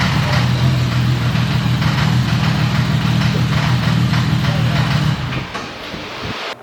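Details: American Supra 4200 engine on the dyno after repeated pulls, clattered when put into gear; on restart runs rough with a heavy, fairly regular clatter at about three beats a second; flexplate bolts working loose.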